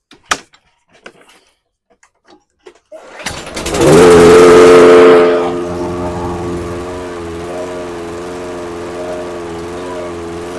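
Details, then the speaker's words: Toro 22" Recycler with Briggs & Stratton 190cc engine on new aftermarket carburetor, after pull start: speed rises and falls about once a second; surging, likely too-small jet running it lean. "All right. So, you can see there a lot of surging."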